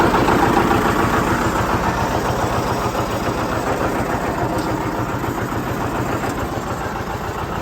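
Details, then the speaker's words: John Deere 730 tractor pulling a John Deere RWA disk, disking a field: slow, even two-cylinder putt about three and a half beats a second holding steady under load; healthy engine. "anyway i'm gonna get on the tractor like i usually do i'll take you down the road here a little bit let you hear it run and operate"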